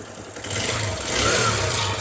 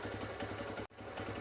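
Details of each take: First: TVS Star City Plus 110cc BS6 motorcycle at normal start-up: loud, fast, rough metallic chatter over the idle; tappets reset repeatedly without fixing it, timing chain to be inspected; valvetrain noise. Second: TVS Star City Plus 110cc BS6 after repair of a loud engine rattle: both rocker arms, timing sprocket at the head, timing chain and tensioner replaced. Soft, even idle putter with no tapping or chain rattle, like new; normal idle.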